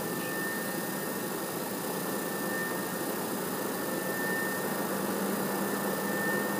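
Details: PS4 CUH-1216A (C-chassis) running Witcher 3 from a digital copy, lying horizontal on a media center 15 cm from the back wall, peaking at about 63 dB: loud, steady rushing whoosh with a faint whistle. Loud cooling fan noise.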